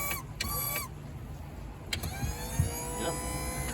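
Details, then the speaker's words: 1985 Dixie Bandit boat that sat six years, trim motor run using the trailer button because the up switch fails. Electric motor whirs up in short steady bursts, then runs down; even pitch, no grinding; normal trim operation. "It's coming up. Yep. It's going down. All right. Goes up and down."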